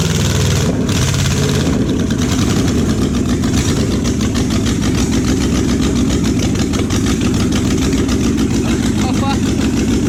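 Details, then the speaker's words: Junkyard Oldsmobile 350 V8 that had sat for years, started on an engine stand for a 1969 Cutlass. It catches after a brief crank and settles into a lumpy, stumbling idle. The third cylinder back on both sides seems not to be firing; plug wires on those two cylinders suspected crossed, since Olds firing order differs from Chevy. "hey you started it ran but it's like the third one back on both sides"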